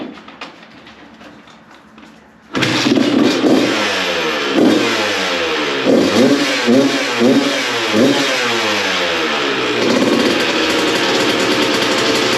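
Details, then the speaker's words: 2002 Honda CR125 two-stroke, which had been lacking power and breaking up before and in the power band, after port work and carb jetting: fires up without choke, quick throttle blips, even crisp idle; running great now. "oh she is running great now"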